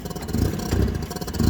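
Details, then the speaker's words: Nissan forklift with K21 engine that starts then dies, no codes, mass airflow sensor unplugged: runs rough and low with uneven surges never climbing; computer limits revs without MAF, sensor replaced. "of course if you disconnect that that's one of the major sensors that is looking at it will not let you rev up"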